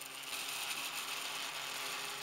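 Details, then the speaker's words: 3D printer with a direct granules extruder printing thin sugar walls gives a steady, busy, high-pitched clatter and buzz; the weak mechanics are suspected of vibrating and roughening the top edge. Vibration clatter while printing. "I guess that this is caused by the weak mechanics that tends to vibrate, you can clearly hear the clatter of the printer."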